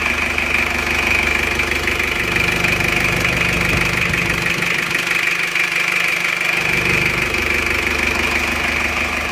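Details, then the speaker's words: Isuzu Panther diesel freshly reassembled after repair, refilled with water and warming up at idle: steady, even clatter with constant tone, no misses or knocks; engine smooth, crisp and even. "suaranya enak banget ya renyah seperti pantai 23 itu suaranya seperti ini mesinnya halus banget dan rata"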